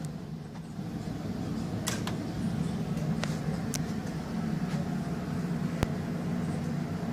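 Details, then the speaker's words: Insignia 37" LCD TV at power-on, before repair, picture otherwise working: steady low electrical hum with a few sharp clicks over it. Power supply capacitor buzz. "well when she said it makes a funny noise she was not kidding are you ready to hear the worst noise a television has ever made"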